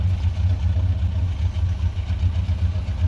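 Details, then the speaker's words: GMC Sierra 1500 pickup at idle, suspected loose tailgate cable. Low, even idle rumble with no squeak or chirp; the earlier squeak appears fixed. "Y'all don't hear nothing no more. Hopefully that did it right there."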